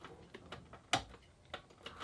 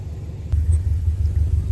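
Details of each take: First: Subaru Impreza after full rebuild, first start attempt after three years, battery connection doubtful: scattered clicks, then steady pulsing starter churn that never catches; crank no-start. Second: Subaru Impreza (WRX-to-STi build) first start after a full rebuild and three years off the road: catches and settles into a deep, loud but even rumble with no knock or miss; normal idle.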